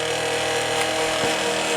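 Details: Late-1980s Quasar VH5471-K VCR (Panasonic mechanism) running: loud steady rough rumble and hum, capstan motor running too fast, motor smelling slightly heated; cause unclear to owner.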